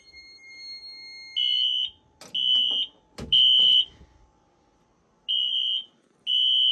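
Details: 2000s Wheelock AS/NS horns on a Fire-Lite MS-9200UDLS addressable panel, during a system test. Shrill high blasts in groups of three, about one per second, then a pause. Temporal-3 evacuation signal.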